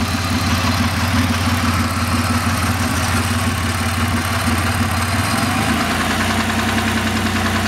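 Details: 2000 Ford SVT Contour V6 with 3L Ford Escape block, Cougar 2.5 heads and SVT cams idling with a loose, uneven knock tapping through the low engine hum; engine knock.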